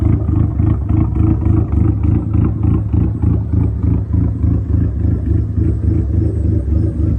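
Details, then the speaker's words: SRT4 with big cams and big turbo, first idle on new cams with larger injectors roughly tuned, new starter fitted: lumpy uneven idle loping about three times a second with a clattery low rumble, a rough idle. "So, as you can tell, pretty choppy."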